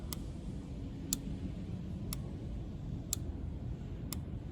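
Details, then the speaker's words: Canister purge control valve activated by a scan tool active test with ignition on and engine off: sharp, crisp clicks about once a second over a quiet background show the purge valve cycling normally. "So, it's activating the valve with no issue."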